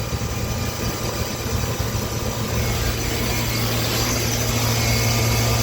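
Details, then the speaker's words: Through-the-wall AC condenser, compressor running after condenser fan motor restarted: constant hum with rough, loose rattling churn like rocks inside; compressor internal damage. "Actually, I take that back. This compressor still sounds like it got rocks in it."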